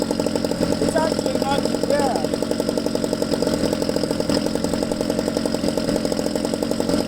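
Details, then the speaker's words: Ryobi two-stroke string trimmer idling after base idle speed adjustment, high speed already fine: even, quick putter holding steady without stumbling or dying; normal clean idle. "there so after you adjust the base idle speed which we just did and I'm happy with the way that sounds"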